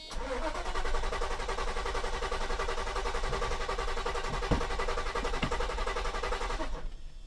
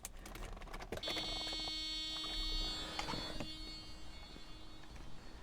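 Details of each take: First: 1990 Mercedes 560SEC (W126) with stalling issue, after fuel pumps and fuel filter replaced: starter churns about seven seconds at slow even beat, fuel pumps audible, engine not firing yet as fuel fills new filter. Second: 1990 Mercedes 560SEC (W126) with stalling issue, after replacing fuel pumps, fuel filter and hose, key on before starting: steady fairly quiet electric hum with a few high tones for about four seconds; new fuel pumps priming normally.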